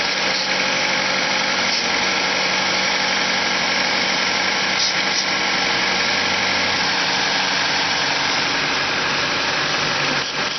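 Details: Cold car engine at a steady, fairly fast idle with a hissy, even hum, no dip or hunting; it revs up at cold start and in P or N until shut off. Owner suspects a vacuum leak; carb cleaner spray test found none.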